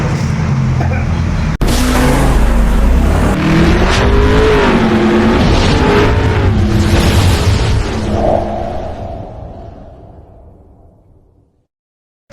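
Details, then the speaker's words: 125 motorcycle stalling at stoplights and in traffic, error code 28 from engine temperature sensor: engine runs unevenly, sputters and dies at idle; stalling from broken temperature sensor wire. "kasi po pagka pinaandar natin to medyo humahagok siya hanggang sa namamatay po siya lalo na po pagka naka standby po yung motor o na traffic"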